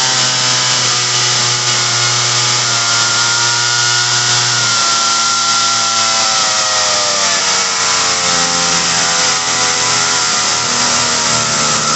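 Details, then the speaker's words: Ryobi RY3714 chainsaw, carb likely tampered by customer, idling really high; high steady buzz, pitch sags and stumbles as idle screw lowered, bogging, so high-speed screw turned slightly and low screw counterclockwise to richen; idle too high, slight bog. "oh wow oh you see when i got the idle all the way down it bogged a little bit so i went to the high end and turned it just slightly to get rid of the bog a little bit"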